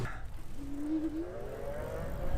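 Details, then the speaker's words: Super73-Z1 e-bike hub motor after fixing freewheel squeal and clunking: smooth hum rising in pitch as the wheel spins up, no clunks or knocks; normal hub motor hum. "oh my gosh right away listen to that no noise it's just humming it's beautiful now listen noise check it out that's how it should sound"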